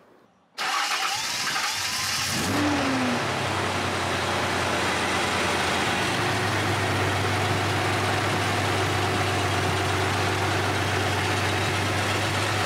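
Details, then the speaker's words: 1978 Datsun 280Z first started after replacing the fuel injectors and fuel filter, warming up on a hot day. It cranks, catches quickly and settles into a steady, even idle with no stumbling; it runs fine. The new injectors were hoped to cure cabin fumes and a loud ticking. "all right so while the car is warming up over there it seems like it's running okay it sounds good"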